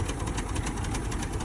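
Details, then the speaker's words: 1985 Chevrolet K20 4x4, 350 V8, 3-speed automatic, revived after sitting 10+ years with no tune-up yet: low, uneven, loping chugging idle with no knock; owner suspects bad plugs or a carburetor giving slightly too much fuel. "Um, she's starting to chug a little bit now. I don't know if maybe some of the plugs are bad. I mean, I haven't even begun to throw a tuneup in this thing."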